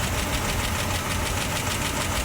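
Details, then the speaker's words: 1966 Cadillac DeVille with 429ci V8: fast, even lifter clatter rides on a steady idle in time with the engine; seller suspects the oil pump isn't getting oil up to the valves, unconfirmed. "not think it's getting oil pumped up to the valves enough"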